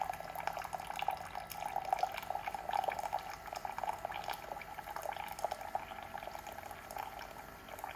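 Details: Keurig K-Mini single-serve coffee maker brewing: quiet, steady trickle and drip of water pouring into the cup with faint gurgles; brewing normally.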